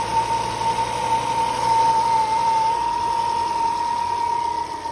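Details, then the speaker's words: Volvo P1-platform engine (S40/V50/C30/C70, common on T5) at idle: a steady, high whistle or suction noise from the valve cover. A torn PCV diaphragm in the oil filter housing causes excess crankcase vacuum; the housing needs replacing. "This is most commonly found on the T five engines though, the way you're going to be able to know that you need this is you're going to be able to hear a significant amount of worrying or suction coming from the valve cover of the engine. It's going to sound something like this."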